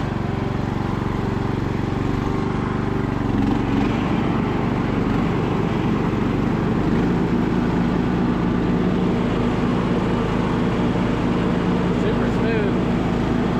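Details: Revived MTD Bolens riding mower restarted after reopening the fuel valve that had caused a stall: steady, even engine drone with no knocks, misses or surging; runs smoothly and healthy.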